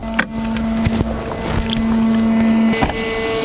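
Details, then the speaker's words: Heard inside a moving car cabin: steady low buzz from above, briefly broken a few times; a cordless leaf blower stored in the car switched itself on, probably something hit its switch. "i swear i know exactly what this is no way my freaking leaf blower went off by itself"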